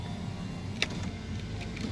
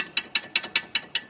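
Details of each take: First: 2014 Mercedes-Benz SLK200 R172 test drive on unpaved road after retightening loose suspension bolts and nuts: only steady tyre and road rumble, no clunks or rattles; underbody noise over rough roads fixed. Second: Rear suspension link on a 2014 Mercedes-Benz SLK200 (R172) gives sharp metallic clicks, about five a second, when rocked with the rubber supports removed; rattles over rough roads, caused by loosened bolts and nuts.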